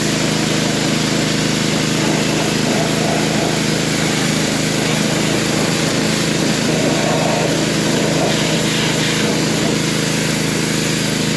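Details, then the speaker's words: Pressure washer after pump replacement (4-bolt, 3/4 inch shaft pump), water on and air purged before start: small engine runs steady and even with spray hiss, no knocks or surging; repair a success. "Okay, folks. I call that a success. That's pretty cool."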